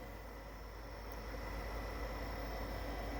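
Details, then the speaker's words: Older Xbox 360 Elite after fixing one red light hardware failure and cleaning the laser lens, testing a game disc: steady airy whir with thin constant whine, no grinding or clicking; loud disc drive spin but reads normally. "it's definitely a lot noisy"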